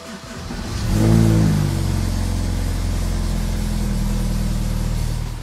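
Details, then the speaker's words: BMW N20 (E89 Z4) after high-pressure fuel pump replacement for hard starting after short sits, fuel system primed; cranks, catches at once, smooth even idle, no more clicking from HPFP — normal start and idle. "I no longer hear any clicking noise from the high pressure fuel pump. It runs well."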